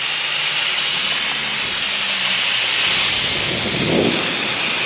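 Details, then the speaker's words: Pressure test of a boat's forward steel fuel tank before welding: steady high, sharp hiss with nothing mechanical underneath, air escaping through a little hole at the tank vent; air leak from pinhole. "However, I can hear the vent leaking, so let's go check that out."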